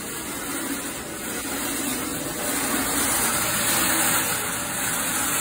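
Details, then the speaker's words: Frigidaire Gallery dryer, loud and not drying well, ear at rear of drum: constant rough metal-on-metal scraping under the tumbling drum from the broken heating element coil. Dryer drum metal-on-metal scraping from broken heating element. "i put my ear up to the back here i got some metal on metal grinding in the rear of the drum"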